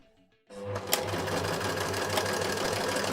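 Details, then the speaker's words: Sewing machine stitching a buttonhole on a kid's jacket: quick, regular clatter of roughly four stitches a second with an uneven, rattly edge; abnormal sewing noise, cause unclear. "Why is it making this weird noise? I don't like this noise."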